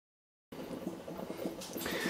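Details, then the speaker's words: Whirlpool WHER25 reverse osmosis system, about 8 years old, after replacing the air gap faucet with a Watts 116101: quiet, constant gurgling and bubbling that never shuts off; flow restrictor was removed. "sure if you can hear that but the water filtration system sounds like is running and bubbling constantly doesn't shut off and sounds like that basically all the time"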